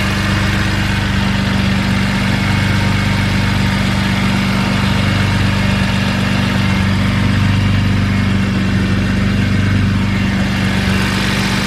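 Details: BMW E46 M3 at idle after fitting Yonaka rasp pipes to a slotted flange with OEM donut gaskets, Megan headers and X-pipe: deep steady burbling idle with even pulses, no ticking or puffing. No exhaust leaks, running good.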